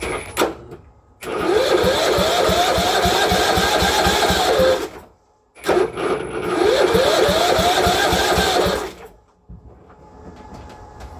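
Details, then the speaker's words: Cub Cadet mower during a motor swap, spark confirmed: two cranking attempts with loud, uneven popping bursts that fire briefly and then quit. Owner suspects it needs more gas; hard starting and sputtering. "Okay, more gas maybe? It's got spark. Okay, it's got more gas. It ran, kinda."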